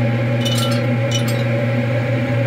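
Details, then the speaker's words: Smoke-N-Seer pellet smoker running on a newly fitted Muxall Pro BBQ controller, starting up with the burn pot possibly holding ash from yesterday's test; steady low fan hum with bright tinkles of pellets dropping into the pot as smoke begins. Normal pellet feed. "i can hear the pellets tinkling away you can kind of see them through the grates there that's pretty cool actually"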